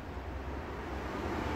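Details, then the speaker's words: AMD RX 580 graphics card: during gaming or export the screen goes black while the PC stays on, and the card's fan roars constantly at full speed with no speed changes; the card seems to hang. "Dan ini sistem kinerja VGA-nya langsung kayak kenceng itu ya. Untuk kipasnya tuh kenceng banget suaranya."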